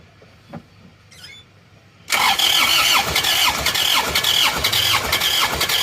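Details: Starter churns the engine at a steady beat of about two per second but it never fires; crank no start after towing off the toll road, mechanic suspects scored cylinder with compression leaking through.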